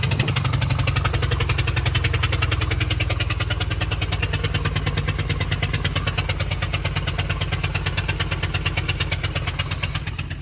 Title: 2014 Ford E-250 4.6 engine knocking noise